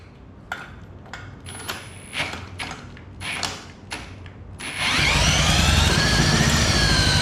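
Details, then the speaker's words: Honda GX200 single-cylinder engine, previously seized, rebuilt after cleaning milky oil and cylinder-wall rust, new spark plug, first start with choke open: a few sharp pulls, then it catches and runs fast, uneven and unsettled, not running its best. "it's definitely running I don't think it's running the best but see you can guys hear it start"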